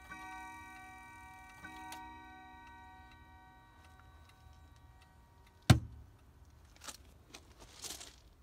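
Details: Howard Miller 612-581 triple chime regulator wall clock after replacing the broken time-train spring and barrel and fitting a new suspension spring, cleaned up: clear chime tones ringing and decaying, then a single sharp strike; healthy, normal chiming.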